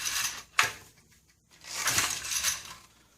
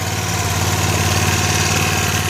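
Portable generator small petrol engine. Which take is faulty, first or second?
first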